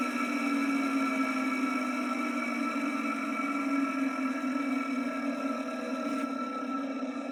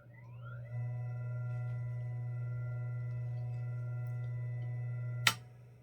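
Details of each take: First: Vintage ILGJET 24-inch type Q air circulator fan motor, blade removed, on original dry worn 6203 bearings before replacement: steady rough whirring hum with faint gritty hiss, worse as it is switched off. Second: Vintage ILGJET 24-inch Type Q air circulator fan after replacing its bearings with new 6203 units, running on low speed: only a clean, steady electrical hum with no grinding, then silence at switch-off. Healthy motor.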